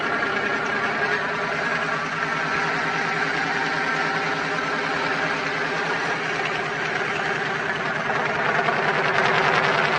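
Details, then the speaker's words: Twin-turbo Dodge truck, started on a freshly charged battery after all vacuum lines were replaced to fix a driver-side leak from turbo to wastegate, not yet tuned: a steady, even idle with a firm exhaust note and no knocks or ticks. Runs smooth and healthy. "but guys you can see it you've heard it she starts she runs everything is working"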